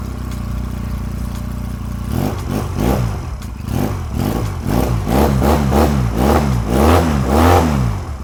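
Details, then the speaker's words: 1986 Honda Rebel 250 CMX, cold, right after a starter clutch replacement: starter spins, engine catches after two seconds and settles into a steady, slightly lumpy cold idle; clean start, no starter slip. "seems to be seems to be fine it's a little cold"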